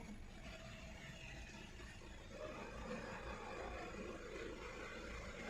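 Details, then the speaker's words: Hyundai Verna Fluidic 1.6 L petrol engine, after misfire repair: even, steady exhaust note with no pops, stumbles or silencer vibration; engine now running smoothly, though an active P2127 accelerator position sensor 2 low code appears afterwards. "अभी पटाखे बिल्कुल नहीं है। एकदम normal आवाज है और silencer में भी वाइब्रेशन बिल्कुल नहीं है।"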